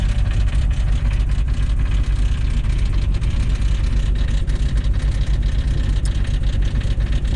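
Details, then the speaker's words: 1999 Jeep Cherokee XJ, 4.0L, bought cheap, started with a jump pack; loud, uneven low clatter over a rough, hunting idle that won't settle and won't hold idle; source not pinned down; engine racket with rough idle. "Oh! There's a delightfully fine racket for the engine to make."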